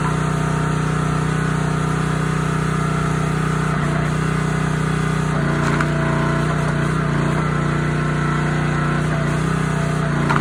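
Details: Honda GX160 on a SplitFire wood splitter after carb cleaning and oil change for bogging and stalling when splitting, test-splitting wood: steady, even single-cylinder beat with brief dips through the wood, no hunting; normal running under load.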